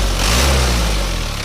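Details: Overhauled car engine warm after a test drive, 82–84 °C, no leaks, revved while checking for crankcase-breather smoke, which is clean: smooth, even revving with a steady low drone and no knocks or misses; healthy engine.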